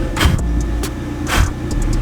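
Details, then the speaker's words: Honda Civic EG hatch with LS B18B1 engine, turbocharged, idling warm after a valve adjustment: steady, even low rumble with no stumbles; previous misfires now gone. "Even the idle sounds better. I used to get a bunch of misfires, and I think after this valve adjustment, it's like perfect. Listen to this idle."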